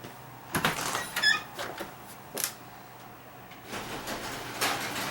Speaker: thing it is doing have you noticed it's squeaking the doors hear it that's because I think it's the top hinge